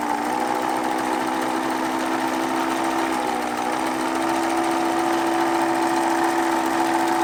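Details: Pfaff 801 sewing machine after swapping in the Pfaff 807 motor: steady hum with a coarse, uneven buzzing vibration at constant speed. Likely a flat spot on the rubber drive wheel from resting against the hand wheel. Suspected, not confirmed.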